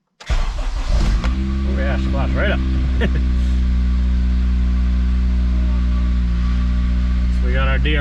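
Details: Honda Civic FG2 Si first start on its junkyard replacement motor, after cranking with coils disconnected until oil pressure came up. Short crank, fires at once and settles to a smooth idle with no knocks or misfires.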